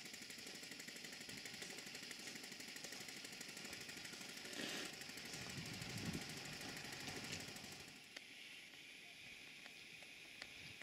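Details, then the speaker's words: Stuart Models beam engine on a Castle Steam V6 model boiler, rotative pump feeding water and pressure dropping: quick even chuff-chuff exhaust beat at a steady pace, no knocks or misses; normal exhaust beat. "I will stop talking now and let you hear the exhaust beat before the safety valves kicking again"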